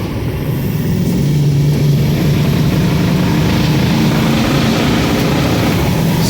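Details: 6.0 diesel truck at idle after Marvel Mystery Oil was added to the crankcase and fuel tank: even, steady rumble with no clear knock or miss. It runs smoother; the owner suspects stiction and plans an oil change plus stiction eliminator.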